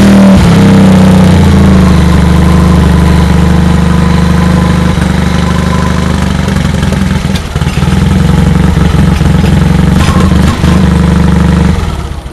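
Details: Honda HT3813 tractor after carb was off and drained and coolant added, new muffler replacing an old likely leaking exhaust: catches after brief crank, settles into steady, even low idle with deep muffler note; runs healthy.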